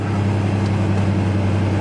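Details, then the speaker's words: 1992 Ford Ranger 3.0L fuel-injected V6 after fuel filter replacement: steady even low hum with no misses, surges or knocks; smooth, normal idle. "there we go that's better"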